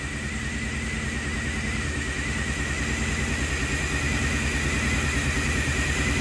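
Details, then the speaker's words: 1990 Pontiac 6000 SE AWD, sat 20+ years, first run after reassembly without intake gaskets, warming up with oil pressure and charging voltage, muffler rubbing: uneven lumpy beat with slight miss and rising drone; vacuum leak. "It runs like crap just because it has a vacuum leak. I probably should have put the gaskets on it, but I didn't."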